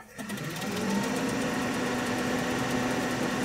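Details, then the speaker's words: 1967 Chevy C10 Stepside barn find, 250 straight six, heater blower under dash: steady whirring hum on low and medium with faint drops in strength as a loose power wire makes and breaks contact; intermittent blower motor. "okay so let's go to low and see what happens okay now medium okay the wire is just kind of loose in here"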